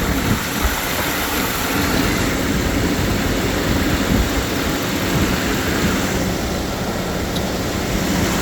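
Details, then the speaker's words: 1997 BMW 750iL 5.4 V12 started after valve cover gasket replacement and reassembly, checked for fuel leaks: steady, even idle with a smooth low rumble and no knocks or misses; a fuel leak is spotted afterwards. "So far, I don't see anything. Sounds like she's running."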